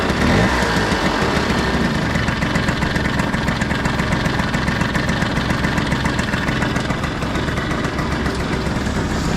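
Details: Piaggio Skipper 150cc scooter after engine rebuild with new piston rings: steady, even single-cylinder idle with smooth putter and no knocking or rattling; engine now healthy.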